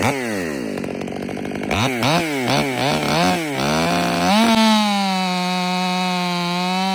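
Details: Warmed-up, Empire Workshop-ported STIHL MS500i with stock air filter, 32-inch bar, sharpened chain and seven-pin sprocket: revs in bursts, then settles into a strong, steady high howl holding pitch under the cut. Clean, healthy running under load.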